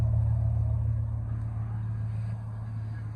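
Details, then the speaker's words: 2002 Chevy Silverado 1500 extended cab, just after fuel pump replacement through a bed access hole: fires right up, no leaks, smooth even idle with no misses, knocks or ticks; normal idle. Earlier P0300 multiple misfire code; no codes now. "All right, let's try it out. Fired right up nicely. No leaks."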